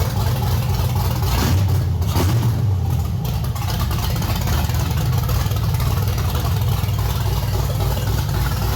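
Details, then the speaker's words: 1989 Chevy S10 Blazer with LS swap and NV3500, LS1 intake, in neutral, first start in a couple of weeks on the stock cam: deep, uneven lumpy idle with a steady low rumble, no knocks or squeals; normal choppy cam idle. "I'm going to start it up for for Dan for the first time he gets to hear that uh that cam yeah I guess a cam there's a cam in this thing that's stock lopy Camy stock"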